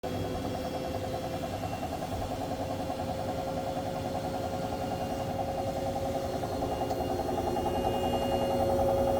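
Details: Brand-new Hoover H-Wash 700 (H7W 412MBCR-80) washing machine on spin, empty drum, level surface, transport bolts removed: a steady hum with a regular knock three or four times a second; cause unknown.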